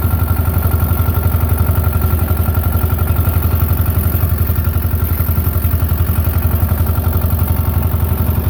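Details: Belarus 250 tractor, 2-cylinder air-cooled diesel, sat for years, running again; low even chug, regular firing, no stumble or surge; normal running after repair.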